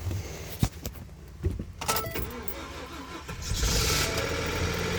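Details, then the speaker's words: 2012 Ford F-150 sat dead for years, jump-started with a Lectron jump starter on the third attempt; a few seconds of cranking with key noise, then the engine catches and settles into a steady run: normal start. "Yeah, we got it. That's pretty cool."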